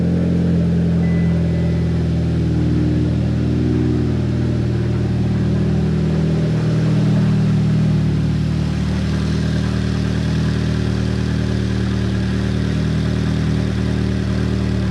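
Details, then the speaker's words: Mitsubishi Lancer Evo X, cold start just after fitting new NGK iridium spark plugs (old plugs worn); it starts straight away and gives a loud, steady, even idle with no misfire or ticking. Normal idle. "so yeah starts up fine new plugs are in these are old ones so definitely looking a little bit worse for wear"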